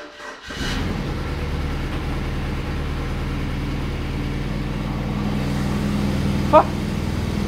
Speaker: in from what I saw this car has m delete and you can hear it it's a bit louder than usual sounds decent though